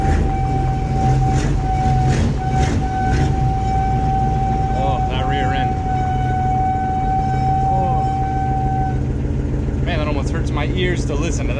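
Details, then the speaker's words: Chevy K5 Blazer, 350 5.7L V8, 4-inch lift, first start of the year after sitting, exhaust leak; steady mid-pitched whine over rumble from rear differential in gear, bad only in drive and reverse; owner guesses it needs oil moving around. "maybe he just needs some oil to move around i don't know gosh that sounds terrible definitely gonna have to look at fixing that soon"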